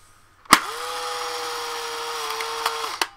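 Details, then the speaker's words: Polaroid 660 autofocus camera with empty film pack inserted: a click, then steady mid-pitched motor whir about two seconds ending in a clunk; film eject motor working normally. "So you just shove it in, and you're gonna hear this noise."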